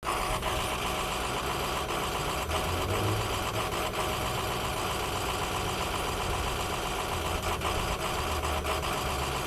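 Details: Ford F-350 work truck with a 6.0L diesel, left idling parked on a cold day: the clatter is broken by irregular sputters every second or two. Possible causes include dirty or faulty injectors, bad or watery fuel, a clogged filter, or a sensor or electrical fault.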